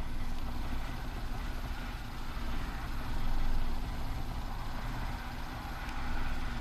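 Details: 2015 Kia Soul 1.6 GDI, 152,000 miles: labored, uneven low idle that sags and swells, barely running, no manifold vacuum, throttle opening 54%, no pedal response.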